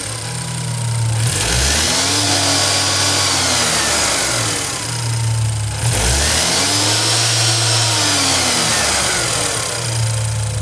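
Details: BMW N20 engine, 133,000 miles, revving up and back with a light, uneven rattle riding over the note; owner suspects timing chain noise, not confirmed.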